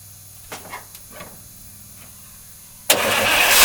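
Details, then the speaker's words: 1953 Oldsmobile Rocket Super 88 barn find, with the carburetor, random shut-off and acceleration hesitation issues fixed, running on a gravity-feed tank and electric fuel pump: a few clicks, then it catches instantly and keeps running with building revs, no stalling. Normal start and run. "so let's put some gas in it and then we'll fire it up and I'll show you guys it actually runs pretty good all things considered"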